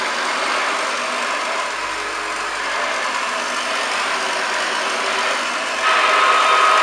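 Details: Restored pre-war 1929 Hoover Model 725 vacuum with new belt, brushes and cable, made electrically safe: steady, even rushing motor and fan whirr, no rattles, grinding or surges; running normally.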